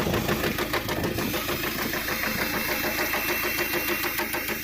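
Sharp, steady metallic knock around 200 a minute rides over the diesel idle; worn small-end bush letting the gudgeon pin hammer.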